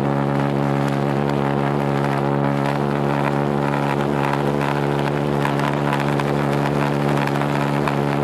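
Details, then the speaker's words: Homemade pulsejet on its third run attempt, with a new ignition circuit (new coil, HT lead, fixed condenser) and a tuned fuel rail: a loud steady buzzing roar with a firm low tone, no stutter; firing continuously. "It works. It runs. Yeah, that's exactly it."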